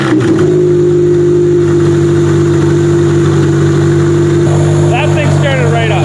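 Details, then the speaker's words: Demolition derby car's first start since end of September (now February) after fitting fuel lines, fuel given, fuel pump loud: catches and settles to a steady, even idle with a brief rev blip; runs healthy. "fuel lines pressure and it started up for the first time since Grand Valley which what was the end of our September end of September and now we are February so pretty much started up right away"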